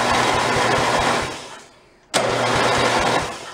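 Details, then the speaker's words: Free roadside snowblower, electric starter previously smoked and tripped the breaker, now repaired and reinstalled; key pulled so no spark: two bursts of brisk even cranking without firing, no grinding or slowing; starter pulls strongly. "i just want to see how it does cranking it over i don't want to fire up right away that sounds counterproductive"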